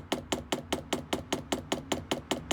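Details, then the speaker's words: Newly installed diesel heater in a Leyland DAF T244 truck, testing before final fixing: sharp, even ticks about five per second as the dosing pump primes and draws diesel through; normal priming. "I diesel, pump is priming, you can see diesel coming through there."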